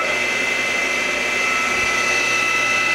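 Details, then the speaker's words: RIDGID R4512 table saw motor after repair for humming and breaker tripping: spins up with smooth steady hum, click of centrifugal switch opening, running normally. "it's spinning no problem and you do that click that click is the this switch opening"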